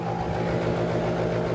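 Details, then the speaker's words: Bosch central AC outdoor unit for master bedroom, single-pole contactor stuck closed, running nonstop over a long holiday weekend; harsh, rattly drone that never cycles off: compressor damaged by welded contactor. "This one services the master bedroom, and she does not turn off. That sounds horrible."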